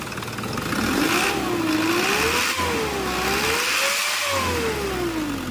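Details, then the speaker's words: Isuzu 4HL1 common-rail diesel after repair of hard starting and low power (rail pressure sensor code): four new injectors fitted and oil changed, now starts in one click without pumping, revs up and down smoothly; normal start and rev. "sensor kita natin na hindi na kailangang ipump k na siang umaandar one click"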